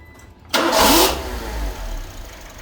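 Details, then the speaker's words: Suzuki Swift after replacing a valve and reconnecting the unplugged mass airflow sensor: starts in half a second, brief rev flare, then smooth even idle; running normally, fixed. "It's running normal! I think we can call that a fix."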